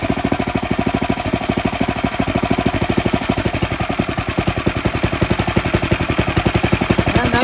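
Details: Tecumseh snowblower engine after cleaning a clogged carburetor pilot jet that caused surging: rapid, evenly spaced firing pulses hold one steady speed throughout, no hunting or surging; runs healthy.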